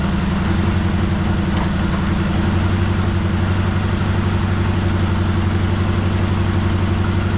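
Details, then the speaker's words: 1973 Chevrolet Malibu V8, first start after sitting about 25 years, running on fresh gas: loud uneven idle with irregular pops and stumbles about four a second, misfiring and slowly cleaning up one cylinder at a time. "It's uh as you can hear, it's uh popping and squeezing, cleaning up one cylinder at a time."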